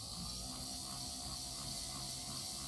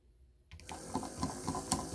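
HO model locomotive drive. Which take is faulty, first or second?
second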